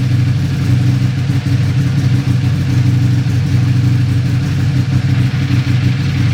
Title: Buell 1125r rough idle